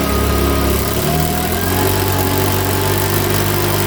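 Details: Makita BHX2500 four-stroke leaf blower, after valve clearance and timing check, NGK plug checked, airbox off: runs unevenly, note wavering then settling at rough idle; rough running, owner reckons it needs a new carburettor.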